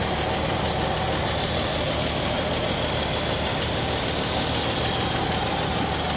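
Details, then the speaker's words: 1964 Chevrolet Impala, sitting since 1995, first revival run with two-stroke oil in the fuel: engine settles into a steady, even idle, no knocks, misses or valve sticking; slight smoke. Normal idle. "but she's even idling i'm not gonna have it running too long on this oil but it sounds good i don't even hear no valve sticking a little bit"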